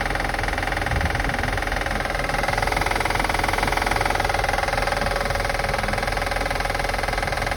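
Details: 2005 Acura TL after starting and running: steady light ticking a bit over two per second over an even petrol idle; engine clicking noise being assessed, no cause found yet.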